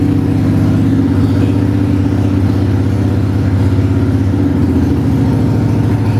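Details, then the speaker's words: 1995 Harley-Davidson Bad Boy Evo V-twin, revived after sitting with carb issues, vacuum leaks and neglect: loud, lumpy idle with an even, regular beat and no knocks or misses. It still needs choke to start but runs well; normal idle. "It sound It sounds good. Um you know, still has to be choked to start, obviously, but other than that, man, I'm really happy with where it's at right now,"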